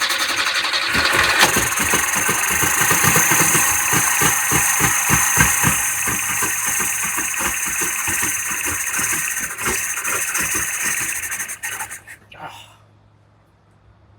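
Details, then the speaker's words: 1975 Toyota KE30 Corolla 1.2-litre, first start after being abandoned in a shed for years. The idle is slow and lumpy, pulsing about four beats a second, then stalls. Idle speed is set too low and the idle stop screw is being turned up; it may not be firing on all cylinders. "quite enough I'll adjust it up a little bit more we've got more turns in it and I'll go again"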